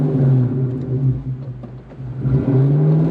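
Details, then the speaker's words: 1997 Ford Mustang SVT Cobra: idle sags and nearly dies for about a second, then catches and climbs back; problem since new injectors were fitted, owner unsure if injectors or electrical problems cause it. "i don't know why it does that it just wants to die"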